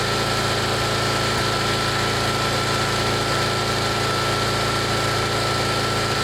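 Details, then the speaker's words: 1999 Snapper 28-inch riding mower with a 10 hp Briggs single-cylinder engine: slow, lazy, steady idle sitting noticeably low; idle speed set too low and needs adjustment, possibly a different carburetor. "That's it. Really low idle. Hear it. That'll have to be for another day."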